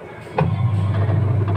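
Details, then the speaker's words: Sharp single-tub washing machine that sounded an alarm on drain and spin, after fixing a loose, slightly rusty lid-switch contact: the motor ramps up gradually into a steady low drum hum with vibration and no alarm, so the spin cycle is normal. "Untuk proses pengeringan, mesin tidak langsung berputar dengan kecepatan penuh; Prosesnya bertahap, berputar sebentar, lalu berjalan. Jadi sekarang sudah baik-baik saja, semuanya kembali normal,"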